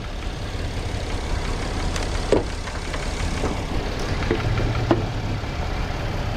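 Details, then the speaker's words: Chevy Impala (2012, possibly 2010), formerly crank no-start after crankshaft sensor replacement, now running at 14 volts with the engine light on: low idle with an uneven beat and stray thumps, stumbling now and then. Misfire code stored; sounds like a misfire on one cylinder. "I don't like the sound of this engine."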